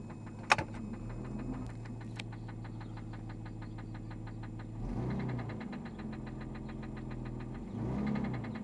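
A sharp metallic knock ticks steadily over the idle and speeds up with each blip of the throttle: classic rod knock.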